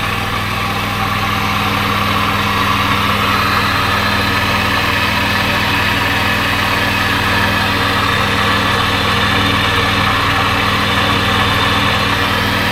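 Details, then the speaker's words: 1997 Lexus LX450 (80 Series Land Cruiser) at idle after years unused: constant whirring, faintly rough note at the front of the engine; owner suspects a bad idler bearing, not confirmed. "got a bad Ider bearing right there I think"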